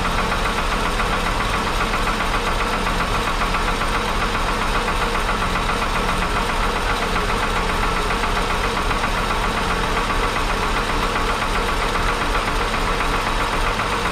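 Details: 1961 Ford Falcon Delivery cold start on oil later found fuel-diluted and thin; fast, somewhat uneven light tapping three to four a second over idle; owner suspects a lifter from poor lubrication.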